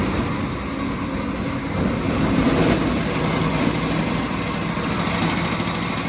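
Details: 1926 Ford Model T Roadster with a generator motor, battery recharged after the key was left on overnight: catches and runs with a steady, fairly even beat that picks up with throttle; throttle is laggy and finicky.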